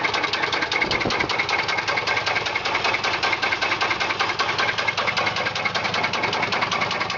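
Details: 1995 Chevy Silverado 4.3 Vortec V6 at idle: loud, sharp, steady knock about two per second over a busy idle; owner also reports the battery keeps discharging; cause unknown.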